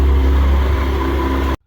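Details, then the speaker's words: Yamaha Apex, first start after a motor swap between two identical machines: fuel pump primed, no engine lights, fires instantly to a steady, even low idle with no knocks, ticks or leaks, exhaust sounding good before shutdown; normal idle. "That is a beautiful sound. Lights are working, it's running, tail light's working, exhaust sounds good, no funny noises. It sounds really good and nothing's leaking."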